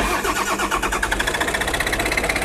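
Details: Long-sitting excavator diesel, glow plug switch possibly seized, cranking after glow plug warm-up: steady quick cranking pulses that never catch; cranks but won't start; owner suspects safety switch, not confirmed.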